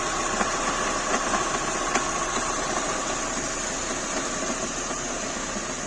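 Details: Renault K4M petrol engine at steady idle: light, somewhat uneven tapping with a few sharp ticks standing out; an abnormal engine knock at idle, cause unknown.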